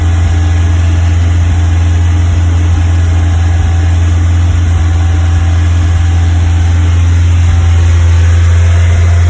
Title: Westfield Misfire 2500rpm